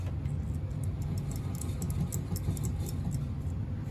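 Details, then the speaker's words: NuTone Verandah Deluxe ceiling fan after rewiring and refitting the sideband, before oiling stiff bearings: low steady drone with faint light ticks, fan turning fairly smoothly and evenly; runs smoother now. "It runs a little bit smoother now since I put that sideband back on."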